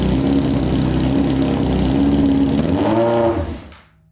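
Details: Honda CBR600 four-cylinder engine in a custom go-kart, on a gravity-fed gas tank: smooth, strong revs climb in pitch, then the engine is cut and dies away quickly. It revs out fully and all cylinders seem to be running.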